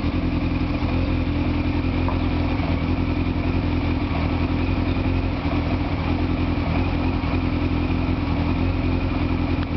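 Strong, steady idle with an even beat and no stumbles or misses; the engine is running cleanly with well-fed carburettors.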